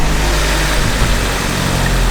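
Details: Car with an old eBay turbo kit on speed density tuning, after an alternator change: deep, even, steady running with no misses or knocks; normal idle.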